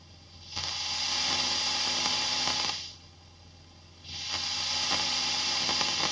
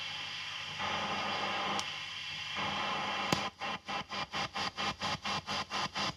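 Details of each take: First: Fender ProSonic valve amp on the bench after a full recap, miked at the bench cab with volume full up. Hiss jumps into loud scratchy bursts as the normal channel's volume and treble controls turn, then drops back: noisy, dirty pots. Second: Fender tube amp with TAD output tubes biased about 18–19 mA per side, gain boosted in recording: soft rhythmic wump about twice a second under faint hiss from tremolo; mild, normal tremolo thump.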